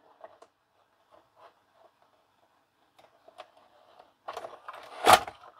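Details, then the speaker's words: LG FC930W VHS VCR after repair of cassette-won't-load fault, reassembled and powered up; soft clicks, short motor whir and a clunk as the tape pulls in, switch mechanism working, displays play: normal cassette loading. "look at that beautiful it all seems to be operating nicely turning the cassette it even says play"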